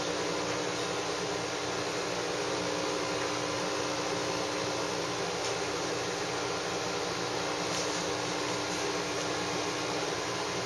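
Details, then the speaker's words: Saeco Syntia super automatic espresso machine making a short espresso shot: steady whirring, even hum while grinding, dosing, tamping and extracting, no knocks or strain; normal operation. "for now you'll hear the machine grinding dosing 10 thing and extracting the coffee"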